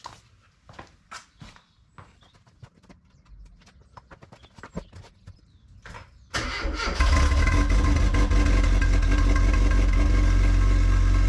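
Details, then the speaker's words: Classic Mini Cooper S Sport 5, first start in about eight months after cranking without the coil to build oil pressure: clicks and handling, then it catches at once on the button and settles into a strong, even idle with clean revs; normal start. "there we go looking just as gorgeous as I remember it started on the button as well didn't you"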